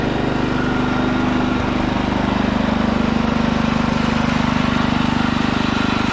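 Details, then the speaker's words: Ditch Witch C99 trencher with a Wisconsin engine, first run after sitting, on a fresh 30-weight oil fill: an even, steady beat of about 214 per minute with a smooth low drone and no misses or knocks. Healthy normal running. "This old ditch witch runs great. I'm happy the way it runs."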